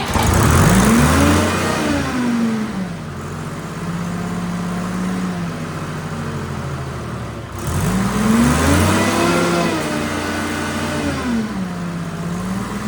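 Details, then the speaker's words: Detroit 3-53 three-cylinder two-stroke diesel in a padfoot roller that sat in the elements for years, first start: deep drone swells and drops with throttle, firing smooth and even with no knocks or rattles; runs healthy. "sounds good I haven't figured out throttle yet so I'm still"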